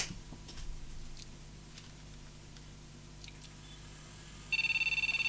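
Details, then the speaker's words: Gigabyte GA-8IG1000MF Pentium 4 Socket 478 PC on a P4 ATX supply with all RAM removed: high, rapid continuous POST beeping, about fourteen a second, the same sound with or without RAM; owner plans to clean the RAM and check valid configurations. "Yeah, so it makes that sound with or without any RAM."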